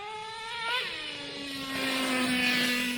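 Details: Traxxas T-Maxx 2.5 nitro RC engine with Losi 3.4 carburetor, primed: high buzzing idle settles from a blip to a lower fairly steady note; idle decent, not perfect, but better than with the slot carburetors, more bottom end.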